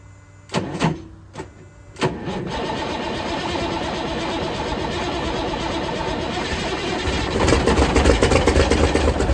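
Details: 1978 International Transtar II cabover diesel, first start after sitting 3 years; a few short cranking bursts, then catches, settles into steady rumble and revs up; clean normal start.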